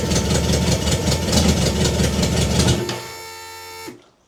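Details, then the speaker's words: BMW K100 motorcycle after fuel pump replacement: loud, uneven, clattery idle with a lumpy two-to-three-per-second beat, then dies abruptly; idles but cuts out when throttle is opened. "interesting so it idles but as soon as I turn the the throttle it cuts out"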